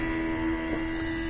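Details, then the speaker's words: Mercedes W463 G-Wagon multicontour seat air pump, plugged in with ignition on and two air lines disconnected: a faint steady electric hum running nonstop without cycling off; air pump running continuously, sensing constant loss of pressure. "so I plugged it in and turn the key on and now apparently it's just running"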